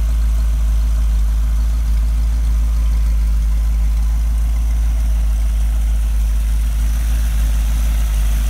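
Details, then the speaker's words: Rebuilt 1965 283 small-block Chevy in a Model A hotrod chassis, broken in with no street miles, good oil pressure, on temporary quiet mufflers: smooth, steady, deep V8 idle with an even beat, no ticking or knocking; healthy idle. "Mufflers, they're very quiet mufflers, temporary hung, so the break-in period, you can hear the motor. Put something that sounds a little meaner on it later."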